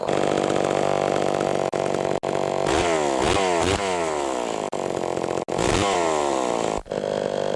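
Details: Pioneer 11-60 two-stroke chainsaw on a test cut, after years in storage and an ignition points repair. It bogs into each cut and climbs back to speed cleanly with no stumbling or misfire, running healthy under load.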